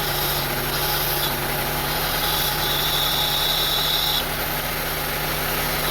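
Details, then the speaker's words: 2002 Honda CR-V 2.4L with a rough idle, stalling and surging, during diagnosis of the idle air control valve and throttle body: the engine idles with an uneven, lumpy pulse about four times a second and a thin hiss on top. Cause not yet confirmed. "Okay, now you can hear the sound, you can hear the engine very bad."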